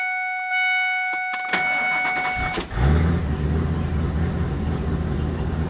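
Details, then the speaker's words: 1999 Ford F250 Super Duty 5.4 L Triton V8, no codes, hard starting in cool damp weather; chimes, cranks, then lumpy uneven shaky idle with surging, misfire suspected but not confirmed; rough idle. "shaking kind of a rough idle"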